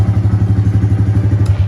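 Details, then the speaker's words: Honda Grom small single-cylinder motorcycle, bought cheap from a friend, low miles: deep, even thumping about ten beats a second, no misses or rattle; smooth, healthy normal idle. "Check out this little Grom. She runs. Got it for dirt cheap off a buddy. Check it out. Nice and smooth."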